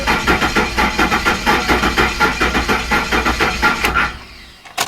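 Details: Ford F-150 4.6 after timing chain work, all plugs fitted and crank sensor unplugged, priming oil pressure: steady starter cranking, three to four even compressions a second, turning freely without firing.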